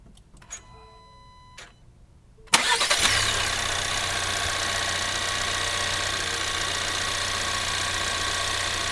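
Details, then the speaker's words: 2024 Ford Maverick XL AWD 2.0L EcoBoost warm engine start: a few soft clicks, then it cranks, catches at once and settles into a smooth, even idle with a light hiss. Normal warm start and idle. "all right in this video I'm going to go ahead and demonstrate how the normal engine sounds should be for the Ford Maverick EcoBoost"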